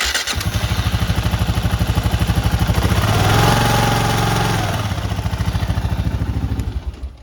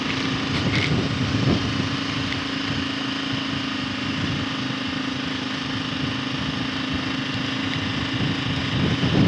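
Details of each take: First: But we're getting the noise from the timing chain, so we're gonna have to tighten up the timing chain balancer. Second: KLR single-cylinder riding in second gear with air box mod: steady drone over wind with no rattle or tapping; timing chain rattle gone after servicing the doohickey and balancer adjustment.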